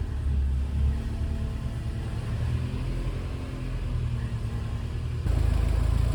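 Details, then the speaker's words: Subaru EJ boxer engine in a VW Syncro Doka conversion, cold idle right after replacing bad hydraulic lifters and fresh oil: smooth low rumble, lifter rattling gone, slight remaining noise expected to disappear at operating temperature. "SUCCESS! I directly noticed that the rattling noise is gone but we will do a before / after comparison now"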